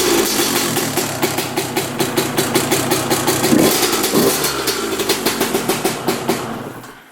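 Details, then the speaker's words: Honda CR125 two-stroke dirt bike, carburetor cleaned and new spark plug fitted after it had no spark and would not run: starts with crisp, rapid popping, revs cleanly and dies away evenly with no misfires; normal running. "heck yeah it runs beautiful now"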